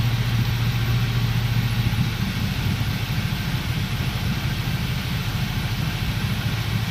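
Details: 400ss V8 at idle during an induced misfire test: deep uneven lope, stumbling about three to four times a second from a misfiring cylinder.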